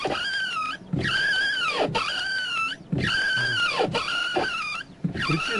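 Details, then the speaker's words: Nissan Maxima A32 windshield wipers running: a squealing creak about once a second, rising and falling with each sweep. The wiper blades were ruled out; the bushings in the wiper pivot shafts are suspected. "причина В следующим когда включаем дворники сдаётся ужасный скрип которые режут душу ехать за рулём"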